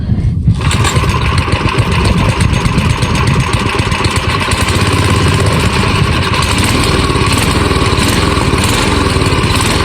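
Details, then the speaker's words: Old AMF snowblower single-cylinder engine revived after sitting over 20 years, running after being started with starting fluid: fast, steady, even beat with no misses or knocks; now dialed in and running properly. "It runs! We got her dialed in here. She's running pretty good. All right. Well, it runs good."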